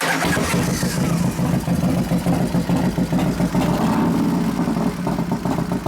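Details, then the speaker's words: New 1993 Harley FXR Evo 89ci stroker build, first start using compression releases after starter trouble (suspected relay); lumpy uneven V-twin idle swelling with throttle blips, no knocks or ticks: normal idle and rev, sounds pretty good. "on sounds pretty damn good"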